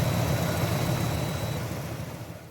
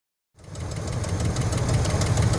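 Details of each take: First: 1973 Buick Centurion 455 V8 after replacing a twisted, damaged lifter with a new lifter set; the cam looked fine. It now has a steady, even idle with no ticking or tapping, and the noise is fixed. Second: 1973 Buick Centurion 455 V8 at steady low idle with a fast, light ticking that is new. Owner suspected lifters; a damaged lifter was found with the intake removed.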